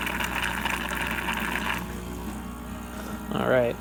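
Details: Nuova Simonelli Musica espresso machine after OPV pressure adjustment, dispensing hot water: a steady rushing hiss with the pump humming underneath, then a short sputter as the pump refills the boiler while dispensing. Working normally.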